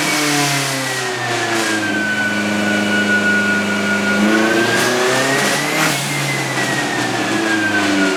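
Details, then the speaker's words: Turbo Sonata on an eBay turbo, on the dyno after new plugs with a smaller gap: strong, clean engine note climbs and drops with revs, no misses, pulling smoothly under load. Runs out of fuel at 4,000; injectors suspected too small. "But the car does run a lot better with these plugs. Okay. Like, amazingly better. I mean, it's smooth, it's clean, but it just pegs out a fuel at 4,000, which is good."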